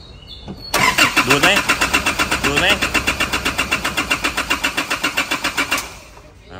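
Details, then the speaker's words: Engine cranking about five seconds, roughly six beats a second, never catching; no fault codes, fuel not flowing from the fuel line at the pump; fuel starvation attributed to a dirty tank. "ที่สตาร์ทไม่ติดอ่าเราลองเอารีเลยไฟใหญ่ลองมาเสียบดูแล้วสตาร์ทติดถอดรีเลย์ปั๊มออกแล้วนะครับแต่ว่าหลักๆคือตอนที่ถอดน้ำมันสายน้ำมันเชื้อเพลิงนะฮะตรงนี้ออกมาน้ำมันไม่ไหลนะฮะต้องยกถัง"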